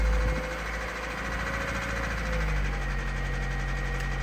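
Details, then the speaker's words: Honda Civic EP3 Type R with K20 petrol engine idling with a heavy, rapid diesel-like clatter; severe engine knock on a car about to be driven until it dies. "I have never known a car have an engine knock an ep3 have an engine knocked like this have a listen this is a car that identifies as a TDI"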